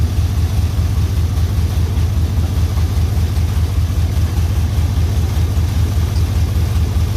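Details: LS-swapped OBS Chevy Suburban V8, semi-warm restart: a deep, loud, even rumble with no sharp tap. Not a knock; the rough sound is unmuffled exhaust through two open flex pipes, awaiting a muffler shop visit.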